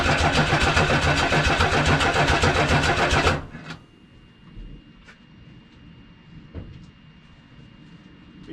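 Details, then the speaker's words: 1979 Ford F150 2WD, 300 straight-six, C4 automatic, carbureted: starter churns steadily about three and a half turns a second for three seconds after starting fluid, never catches; long crank no start, owner thinks it needs gas in the carb. "you can tell she wants to go I think a little gas for the car might be more effective than starting for it"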